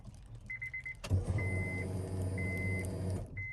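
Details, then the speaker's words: Acura RSX fully rewired from automatic to manual with new harnesses; fuel pump hadn't come on because ECU grounds weren't connected. After grounding, relay click then steady low electric hum about two seconds between chime beeps; fuel pump priming normally. "fuel pump turn on again fuel pump is on turn off turn on again getting up some gas i can hear that you can hear the relay chipper from the fruit pump also"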